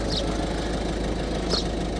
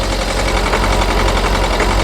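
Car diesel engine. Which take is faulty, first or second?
second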